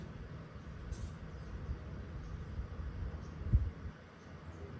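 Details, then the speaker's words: Portable Chinese diesel heater in an overland case, just switched off while hot, hot air still about 130 degrees: pump stops, fan runs its cooldown procedure with a soft steady low whir, no burner roar or pump ticking; normal fan cooldown. "pump immediately stops going and if it's you guys can even hear it the fan is now running through its cooldown procedure"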